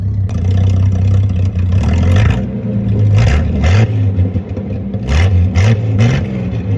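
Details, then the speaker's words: 1946 Hudson Super Six, now idling after whatever was in the carburetor cleared out: deep, even low rumble with smooth rises and falls as it is blipped, no knocks or misses. Normal running. "The car is running great, and it started to idle finally, so whatever was in the carburetor must have cleared out. She runs very well, ladies and gentlemen."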